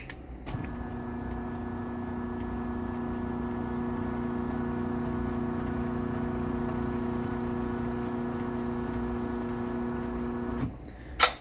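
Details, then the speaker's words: LiftMaster 8587WL 3/4 garage door opener closing, with bearing noises and travel module issues: sounds decent briefly, then a loud steady droning hum and vibration throughout the run. "for the first little bit of it closing uh it actually sounds decent but then it just goes back to being loud and vibrating again"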